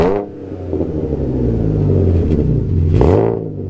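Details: Alfa GTV 3.0 V6 first started in 18 months after refitting Wizard stainless downpipes and a Cybox stainless cat-back with no cat and largest silencer deleted. Slightly warmed. Deep, loud revs rise and settle back twice, smooth with no knocks or misses: healthy revving.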